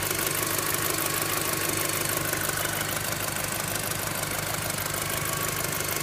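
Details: VW Golf 5 GTI engine with a strange bell-like ringing and ticking noise; a busy idle with a sharp metallic ticking about three times a second and a faint ringing over it. The cause is unconfirmed.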